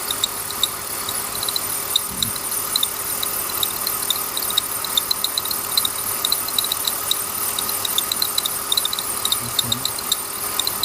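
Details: Accessory belt slipping off track at the tensioner; pulley already replaced without success, owner suspects bad tensioner; sharp uneven high chirps about once a second over faint idle: belt squeak.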